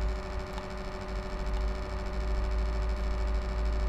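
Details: Fan on an HP Envy m6 laptop makes a strange noise: a steady low drone with a faint buzzing whine at an even pitch; owner asks what it is, cause unknown.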